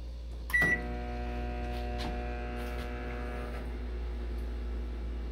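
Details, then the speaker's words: KRXNY 2000W pure sine wave off-grid inverter, 48V DC to 120V AC 60Hz, running a microwave with the AC compressor on: one short beep, then a steady, even low hum with no stutter or drop-out; running normally. "the microwave is running let's check the AC the conversation drop he's running both of them is on you can't hear the noise guys compressor is on is running both of them"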